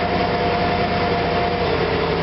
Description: Once I finally got it to idle, I would put it in drive then as I press on the gas it will start stuttering and popping.